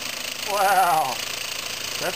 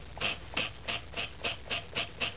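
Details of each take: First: Homemade compressed-air engine from scrap, copper pipe cylinder, at about 8 psi from a compressor: a quick, even chuffing beat holding a steady pace; its fastest run yet, staying in time though it usually goes out of time. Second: Homemade scrap-built compressed-air engine running on about 5 psi from a small compressor: sharp hissy air puffs about twice a second with a dry groaning valve; needs oil.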